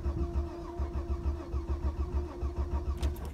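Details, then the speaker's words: 2000 Vauxhall Vectra B GSi 2.5 V6, first start after nearly four years off road (since March 2017), previously ran out of fuel: long slow uneven cranking before catching; owner suspects low fuel or worn fuel pump. "might not even have enough fuel to do it oh nearly i can eat fuel pump wearing i might have to put another can of fuel in oh no we've got it"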